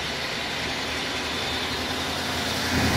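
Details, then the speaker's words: 1986 Chevy K30 truck at idle: loud, hissy steady wash over a weak low rumble from the front accessories; water pump and alternator already replaced (alternator was weak) but the weird noise remains, source unidentified. "But it is still, it's been making this weird noise, if you can hear it in the camera. And initially I thought it was the water pump or the alternator, but changing those out, and the alternator did need to be changed."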